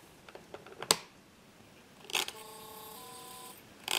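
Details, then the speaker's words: Opened hard disk with head parked over the platter: a few sharp clicks then a steady high beeping buzz for about a second with no spin-up whir; disk tries to spin but doesn't, spindle stuck. "so you heard that noise it's the disc that tries to spin but it doesn't"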